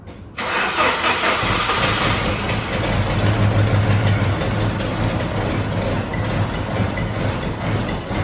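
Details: 1989 Jeep Wrangler YJ 4x4, manual, sat 12–13 years under a tree, first start after new ignition switch, electric fuel pump: catches after a short crank, settles into a lumpy, uneven idle with flutter, tired engine woken from storage.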